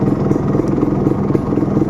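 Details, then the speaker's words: Suzuki Satria Hiu two-stroke, after sitting unused: idle stumbles unevenly, beats bunching and dropping ("timing kuda"), lights flicker; weak battery below about 12.4 V upsetting ignition causes the unstable idle. "nah tetapi saat dihidupkan persneleng ee dihidupkan mesinnya dengar enggak kalian kalian dengarkan ya kedengaran timing kuda dia"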